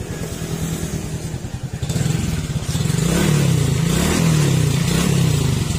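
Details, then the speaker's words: Suzuki Raider J 115 single-cylinder after engine overhaul for 3rd gear popping out and oil leak; pulls cleanly rising through gears, no popping out or rattles, quiet and healthy. "Okay, tahimik na. Tapos primera,"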